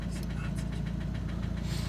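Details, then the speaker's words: Opel Astra H Z17DTH diesel, Bosch fuel system, after another shop's overhaul and injector replacement: steady idle with rapid metallic knock on each beat, internal knock later traced to cylinder one. "давайте запустимо двигун Я думаю чутно що стучить у нас двигун"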